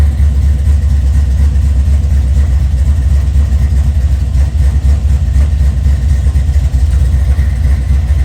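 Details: 1979 Chevrolet C-10 with LS-swapped 5.3 V8, first running after a nearly two-year build and new fuel tank: deep, steady low rumble at idle with an even beat, no knocks, misses or surges; running smoothly, normal idle.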